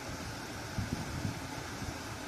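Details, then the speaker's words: Hyundai petrol car idling with AC on after full throttle body cleaning and reset: steady low hum, rpm now stable with no hunting or surging, where previously idle went unstable when AC was switched on. "अभी AC on कर रहा है। मैं AC on है। अभी देखो अभी भी स्टेबल हो गया।"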